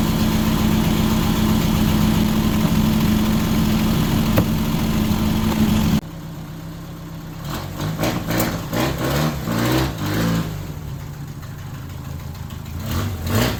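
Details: 1978 MG Midget with side-draft carbs and a 4-speed manual, running after years of sitting: steady, even idle with a smooth low burble and no misses or tapping; idles happily.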